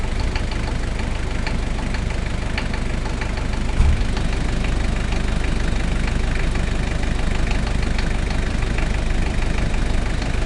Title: barulho no motor 1kzt